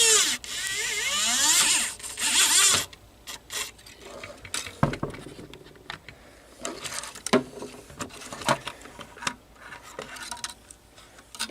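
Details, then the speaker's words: Panasonic PV-332 VHS-C camcorder opened up, run on a battery to free a stuck tape: small loading motor whirs steadily about three seconds, then clicks; tape unloads normally. "we have unload then we have unloaded the tech"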